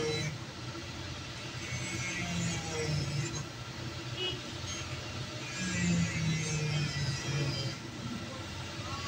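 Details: Perkins 1300 series diesel generator runs rough with an uneven knock over its low rumble and white smoke, caused by a broken injector nozzle.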